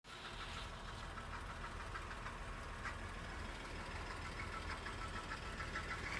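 Quiet idle with a light, uneven rattle ticking through it and no clear rhythm; the source can't be pinned down from the sound.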